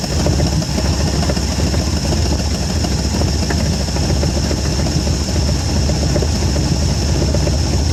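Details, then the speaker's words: 1973 Ford Gran Torino Sport, 351 Cleveland, off the road for 30 years, first start with fuel poured into the carb bowl: a steady, deep rumble with no obvious misses. The alternator light stays on, so it is not charging. "It's not looking too bad. Sounds pretty good."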